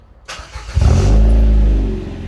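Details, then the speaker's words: Ford Fiesta after exhaust repair: engine catches and revs cleanly to a smooth, steady, deep note with no blowing or farty puffing; exhaust leak fixed, exhaust note now normal. "that sounds a whole lot better now that sounds way better I like that [Music] and it's nice to not hear blowing and silly farty sounds that sounds good"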